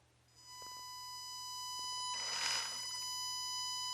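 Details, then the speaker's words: HG P407 Tamiya Bruiser clone RC pickup, Hobbywing 1080 ESC drive frequency set to 1K via program card: steady piercing whine near 1 kHz holding pitch while powered; PWM motor whine, higher 4K/8K settings suggested to remove it. "If you don't like that whine of the motor, best thing to do is go in here, because these are a lot of these are audible ranges."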